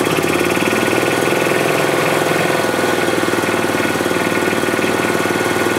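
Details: 2007 Club Car Precedent gas golf cart engine after fuel pump/gas-in-oil repair; rough, uneven pulsing start-stop running on pedal; governor out of adjustment, throttle opening before engine starts, prone to backfiring and jerky starts.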